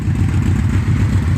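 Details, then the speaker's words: 1996 Yamaha Royal Star after carburetor cleaning, new intake boots, a carb sync and a swap to a 4-into-4 exhaust: a smooth, even low burble at idle with no ticking or misses, not loud. Normal idle. "engine doesn't sound too bad actually there's got the exhaust I actually kind of like it's not loud at all"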